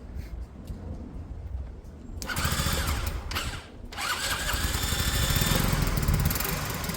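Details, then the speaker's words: Peugeot Tweet scooter after reassembly and ignition fault diagnosis, ignition loosely wired: small single catches after a couple of seconds and settles into a steady, even buzz with no knocks or rattles; runs smooth and healthy. "great sounds smooth yeah sounds great"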